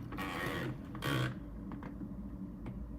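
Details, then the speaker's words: ARCTOS 6-axis robot arm build, drive being rotated: two short rasping bursts, then quieter ticking, as the timing belt slips and skips teeth on the inner pulley; needs disassembly. "that sounds to me like that there's a belt slip so yeah I can see it's slipping inside"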